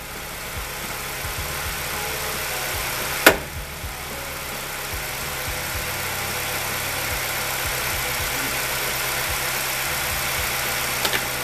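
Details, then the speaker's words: Ford Escape 2.3 Duratec warming up after a used cylinder head install, with no check engine lights: steady, even idle with a smooth low hum and no ticking or knocking; one early sharp bang is outside noise; sounds healthy. "let me get it warmed up once I let it warm up I'll you know I'll move out of the way we'll take it for a cruise a so far no check engine lights no weird noises"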